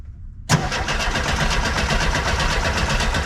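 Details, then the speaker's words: 1976 VW bus that sat over 10 years, cranked by a jumper lead from the battery to the starter solenoid because the key won't work: strong, even cranking at about four compression pulses a second with no grinding or clicking. The starter is healthy, but it doesn't start. "I'm just turning it over for starter. It sounds healthy."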